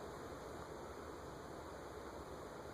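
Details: Satellite/CEC 36-inch spinner ceiling fan with cane blades, run from 0 to high, drawing about 0.36–0.39 A; soft, even airy whoosh with a faint steady hum, no ticks or wobble, running normally on high.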